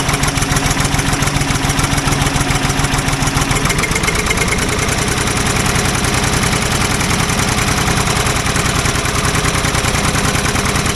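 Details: Old Ford loader backhoe, long unused, rough uneven idle with irregular pops and spits about three a second; mechanic suspects it isn't getting full gas flow, as a fuel line connection leaks gas badly; cause not confirmed.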